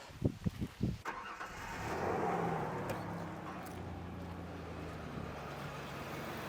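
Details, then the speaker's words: 2001/2002 Ford Ranger 3.0 (260,000 mi, junkyard engine maybe ~76,000) after fan clutch replacement, engine not hot: a few knocks, then it catches and settles into quiet even idle, no longer the supercharger-like fan roar; normal idle. "oh yeah she doesn't sound like she's got a super blower on her well that's good"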